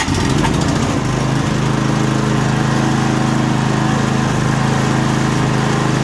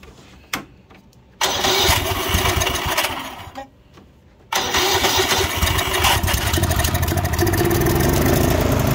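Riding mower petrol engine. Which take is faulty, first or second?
second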